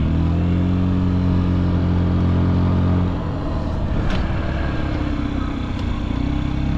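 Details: Honda Zoomer carbureted scooter (AF58) single-cylinder engine: it ticks over with a smooth, even low hum and steady beat, with some outside noise after a few seconds. It sounds healthy, with no abnormal engine noise; quiet normal idle.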